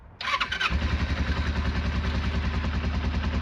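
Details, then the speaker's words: Restored Kawasaki Eliminator EL250 on a freezing cold start, fuel left on overnight: cranks briefly, catches and settles into an even, steady low thrum with a bit of smoke; a healthy cold start. "Oh yeah. Got a bit of smoke then. It's perfect. Good as new."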